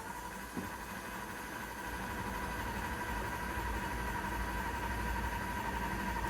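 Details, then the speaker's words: 2010 Lexus RX350 that overheated and became a no-start, propane injected into the intake: even starter churning about four beats a second that never catches or stumbles; cranks but won't start, spark and fuel present, plugs fouled. Cause suspected, not confirmed. "So, nothing right now. Still cranking."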